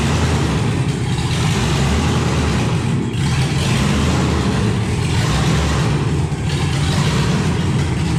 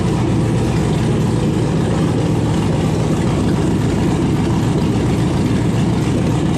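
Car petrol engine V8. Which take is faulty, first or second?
first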